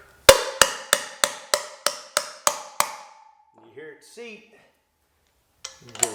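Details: 2016 KTM 1290 Super Adventure new freezer-chilled wheel bearing driven into cleaned, greased hub (ABS ring down) with a driver: about nine sharp ringing taps, roughly three per second, ring turning duller and shorter as the bearing bottoms out, fully seated.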